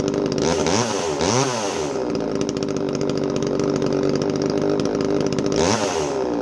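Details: Echo CS3450 chainsaw after carburetor service fixed a no-start: revs cleanly up and down, steady high buzz at full throttle with no stumbling; runs healthy.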